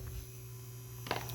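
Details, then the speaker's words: PS4 disc drive with the cover off after a reset; it took the disc but eject doesn't work and a disc had to be pushed in. Constant low electrical buzz then sharp clicks: disc drive buzzing noise, cause unknown. "It's making this buzzing noise, so I don't know what that is."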